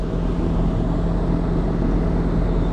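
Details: York packaged rooftop HVAC unit back up and running after service: a steady, even low hum and airflow rush with no knocks, rattles or squeals. The unit still reads low on refrigerant.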